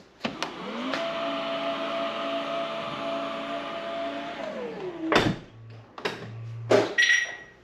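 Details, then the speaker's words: Polestar 2 power tailgate with twin struts closing: motor whine ramps up, holds about three seconds, winds down, then latch clunks and thumps shut; normal operation. "So those are the sounds of the Polestar 2, the quirky, weird sounds that it makes."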